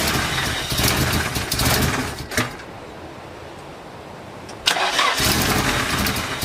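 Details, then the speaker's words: Nissan 240SX engine first start after reinstall: short crank, fires, then revs to about 2,000 rpm by itself on a raised idle after lifting off gas; owner suspects a loose intake coupler or vacuum lines letting in too much air. "as you guys just saw it started and I let off the gas and it revved all the way up to 2,000 rpms by itself so what I'm thinking is that one of the couplers for this rice intake is probably loose and there's you know some vacu lines so it's getting too much air and it's kind of just revving up by itself"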